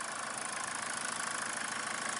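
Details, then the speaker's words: 2014 Mazda diesel after 4 years not running properly: steady even idle clatter, no misses or knocks, first proper run after unplugging the exhaust pressure sensor that was pulling down the 5V sensor reference. "I don't know if you can hear that on the camera, but that's the first time it's run properly in 4 years."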